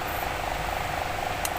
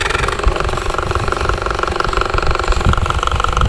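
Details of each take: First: Toshiba wall fan after repair, with new bushing and cover replacing the cracked one that made the shaft noise: smooth, even hum and light airflow, no grinding or rattling from the shaft. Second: Toshiba wall-mounted fan motor runs with a harsh, fast rattle and buzz at the shaft: the bushing is loose because its retaining clip came off and no longer locks it; fixed by fitting a replacement clip.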